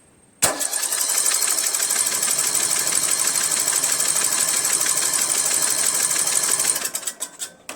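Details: 1999 Craftsman LT1000 lawn tractor with a Briggs 17.5 hp engine, carburetor swapped, valves adjusted to spec, good spark, 130 psi compression; starter spins it steadily for seconds but it never fires, cranks but will not start, cause unknown.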